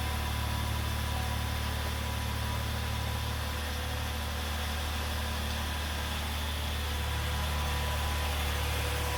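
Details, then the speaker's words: 2009 Chevrolet Impala from Copart on a reconditioned, boosted battery, just started: steady, even low idle hum with a smooth regular beat, no ticks or misses; owner says it runs good. "Man, she runs good too. It's a mighty 35."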